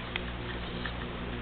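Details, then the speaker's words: Repaired Sunbeam electric pendulum clock: steady low mains hum of the motor with faint soft ticks in a quiet room; runs smooth and even, like new. "You hear it has a nice hum."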